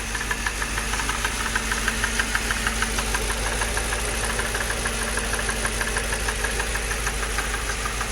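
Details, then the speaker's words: 2006 Mercedes CLS 500 V8 at idle: fast, fairly even light tapping over the idle, roughly two ticks a second, source unknown; a misfire also present. "What is all that tap? What is that? Anybody know? That rat-a-tat-tat-tat-tat. What is that? Tat-tat-tat-tat-tat-tat-tat-tat-tat. Sound like the drum line at a football game."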